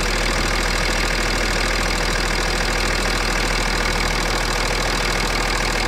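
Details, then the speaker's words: BMW X6 3.5d M57 biturbo diesel after replacing failed turbos, warm at idle: even steady clatter at constant speed, no knocks or whistles; no leaks and no smoke now where it smoked before, a normal idle. "Bon, aucune fuite, rien à détecter, tout est bon. Apparemment le bruit a l'air normal."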